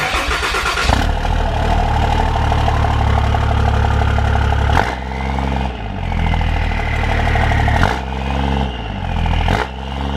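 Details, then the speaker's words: 4th-gen Dodge Ram with 2nd-gen Cummins diesel swap, 4-inch exhaust to a 4-inch tip, fired up after the swap; brief crank, catches at once, then a steady, even diesel rumble with light revs; normal start and idle. "Doesn't sound just too bad. Don't know if I really like the 4-inch exhaust to a 4-inch tip."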